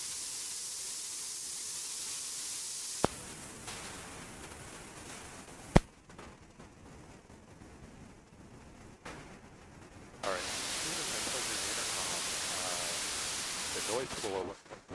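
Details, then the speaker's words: Loud steady static hiss cutting in and out over quiet gaps when the AC-2EX intercom is connected to the 9er Systems USB interface. The headset plugged in directly was noise-free. Source of the noise unknown. "It really seems like all the noise issue starts happening uh once we plug in this intercom."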